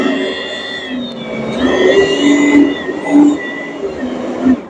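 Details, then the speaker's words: Oreck XL21-style upright vacuum after motor and fan housing reinstall: steady even motor hum with smooth fan rush, no rattles or rubbing; machine in great shape. "All right, machine is in great shape, sounds good."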